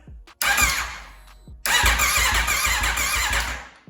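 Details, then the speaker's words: Wrecked 2021 Aprilia RSV4 being rebuilt, fresh 91 fuel added after a P2257 code: starter cranks in two rhythmic bursts but engine won't fire; owner suspects a bad or unplugged fuel pump, pump not heard running. "not firing up just yet is she getting fuel try again nothing really add a few maybe that fuel pump is bad"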